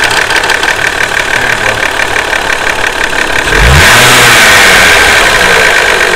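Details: Hot Toyota 2JZ-GE VVT-i engine, warmed by a hard five-mile drive (noise worsens with temperature), idles with sharp regular ticking that blurs into roar on a brief rev; suspected VVT-i cam gear, turned out to need a valve adjustment (excessive valve clearance).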